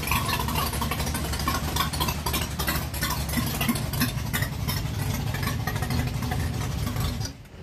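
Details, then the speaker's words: Barn-find V8 after 20+ years sitting, oil-primed and timing set, first start in an echoing garage: starts right up and settles into a deep, even idle with no misses or knocks, then switched off; healthy. "It ran. 20 plus years. Started right up and idled. Man, that's amazing."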